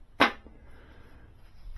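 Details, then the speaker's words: Model T engine rebuild, tap ring test on the reverse drum: a single tap dies away almost at once with no ringing tone, a dull thump that suggests a cracked drum; the reverse drum is judged no good. "When you have something that is cracked, it will thump."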